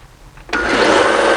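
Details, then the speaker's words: Harbor Freight belt sander after minor rebuild for excessive loudness: spins up sharply to a steady even whir with a faint light rattle, no knocking or grinding; runs smoothly. "I'm happy with the overhaul"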